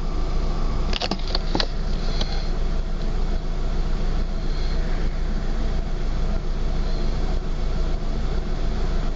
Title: Rough idle